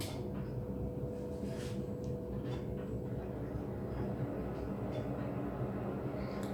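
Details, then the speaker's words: Wall-mounted gas boiler running at maximum heating power: steady, even low roar with no whistle or squeak on heating; a squeak appeared only at maximum hot-water output. "никакого писка на отопление не было"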